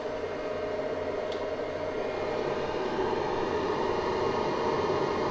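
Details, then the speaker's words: Easun iCharger 8048 MPPT solar charge controller at about 850–860 W and 54.6 A: loud steady airy fan roar with a faint hum beneath; the cooling is noisy but very effective. Normal. "This is not natural here, by the way, but basically the cooling of the charge controller is very, very sophisticated, noisy, but in return it is very, very effective."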